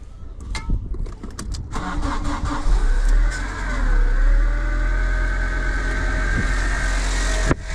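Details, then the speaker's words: Fiat Panda 100hp Sport petrol, first start after sitting two years, with new battery and alternator belt and a freed-up seized alternator; a few clicks, short crank, then catches into a steady settling idle; normal cranking and start. "what do you reckon where' she go two years onst start hopefully the alternator will charge the battery"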